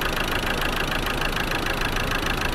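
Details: Land Rover Defender 110 with replacement Ford 2.2 TDCi diesel, smoking badly earlier with grey oily smoke: lumpy, uneven knocking idle, not firing cleanly on every cylinder; suspected injector/piston damage or head gasket between cylinders, unconfirmed. Rough idle.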